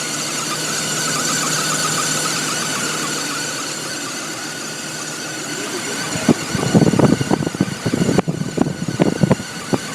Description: 2002 BMW 530i, has a high pitch whining noise on a cold start. Happens occasionally.